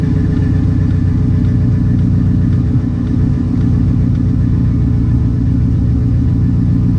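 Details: Jeep V8 on a test fire after a broken spark plug wire was repaired and a new exhaust fitted, to fix a misfire: steady, even idle rumble with no stumble or skipped beats under background music.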